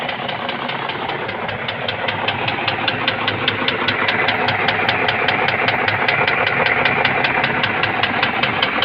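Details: BMW X5 E53 with M62 4.4 V8 at idle: sharp even ticking about 2.5 per second, apparently from the left cylinder head as seen from the driver's seat; top-end knock, cause unknown.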